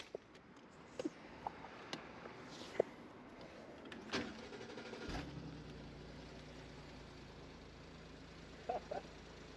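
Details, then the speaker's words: Car that sat so long its battery died: clicks and a quick crank once jump-started, then a low, steady idle hum with no roughness; nothing wrong with the car, only the dead battery. "I heard that sound coming from that car. >> Yeah. So, there's nothing wrong with your car. It's just sat so long the battery's dead."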